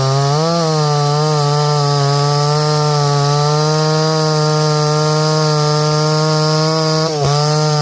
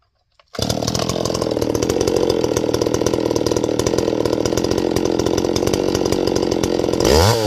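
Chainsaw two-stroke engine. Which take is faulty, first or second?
second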